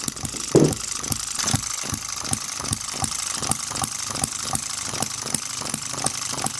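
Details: Microcosm M96 "Oddball" 2cc hit-and-miss model engine with new 1.5V electronic ignition and smaller-scale spark plug: crisp regular firing ticks about twice a second with clicks between. Runs sweetly until fuel seems to be running out; normal.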